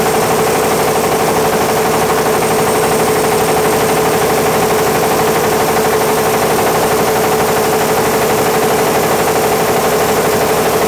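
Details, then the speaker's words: Caterpillar D8H cable dozer, first start after sitting 15-plus years: diesel roaring at constant high speed with steady high turbo whine; it won't drop back because the fuel isn't shutting off, oil pressure pegged. "Well, I don't know why the fuel's not shutting off to it, but let's open that cap again and see if we got water."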